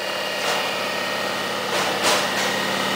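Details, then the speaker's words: Rong Fu RF-31 mill drill, belt-drive unit with adjustable pulleys for speeds, motor in forward: runs very quiet with a steady, even hum of constant pitch, no knocks or rattles; motor fins slightly chipped, not affecting operation; normal motor running. "we're gonna fire it up so you can watch it run we're gonna put it in the forward position there runs very quiet slide this back it is a belt drive unit"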